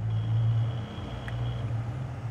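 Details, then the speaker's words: Core 2 duo PC with dusty CPU cooler and case fans, recorded up close: only a steady low hum and soft air rush with no rattle, ticking or whine; the fans run quietly and healthy. "во-первых, шум практически не слышен. Вот как вы сейчас можете убедиться, он работает очень тихо."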